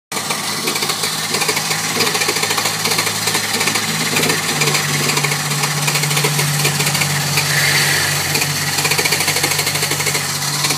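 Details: 2003 Mercedes-Benz E320 W211 cranks but won't start: fast, even starter churning while the engine only sputters with the gas pedal floored; a working fuel pump hums under the rear passenger seat.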